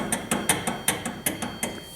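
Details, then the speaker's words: 2011 Hyundai Sonata, turning the steering wheel fast or slow: sharp, light clicks every fraction of a second, no engine behind them, from a shredded buffer between mating surfaces inside the steering column. "as you rotate the steering wheel you can hear it click you've knew that either fast or slow and especially when you're turning going down the road every time you turn the wheel you hear that noise"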